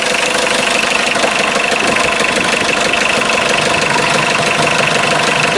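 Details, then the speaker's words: 1984 Mitsubishi Mighty Max 4x4 5-speed turbo diesel, 156,189 miles, started still cold after about five seconds of glow plug: even diesel clatter at a steady idle, no misses or knocks. Slight blow-by noted. Normal diesel idle. "it's a very good running engine"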